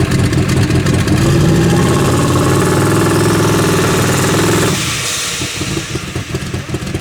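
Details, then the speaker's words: Turbo Nova V8, fuel pressure around six: loud revs with a rough, uneven beat that falls away and stumbles; owner says it leans out, lean running condition suspected. "you hear lean out jammed up the fuel pressure leads come up to about six right there"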